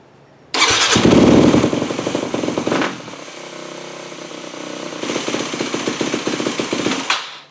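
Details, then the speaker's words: Customer's 2008 Yamaha WR250F single-cylinder carbureted dirt bike, carb rebuilt, JD blue needle in 4th position, hot start plunger pushed in; idle is lower because richer, then stumbles and bogs on throttle opening; mechanic initially suspected lean, cause found later differs. "Still bogging."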